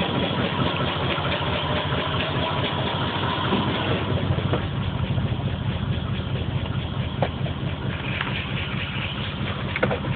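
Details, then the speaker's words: Engine with P0300 random misfire code and flashing check engine light, spark plugs just changed were black and gas-fouled, stock ECU on patch harness; idle stumbles unevenly with low thumping pulses and occasional stutters. "okay so i got the po300 and the pending po300 so that's the misfire code so it's both misfires but it's not it's not saying what song it's misfiring at just telling me it has a misfire"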